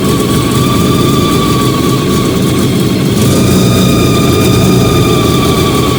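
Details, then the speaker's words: Fiat 125 (Bialbero) on CNG after installing a new carburettor gas injector and the original air filter, idle being touched up. Steady, even idle with a low smooth rumble, no misses or surging. Normal idle. "Ahora voy a tocar un poco la baja. Espero que se escuche. Ahí está. Anda espectacular, Anda muy bien."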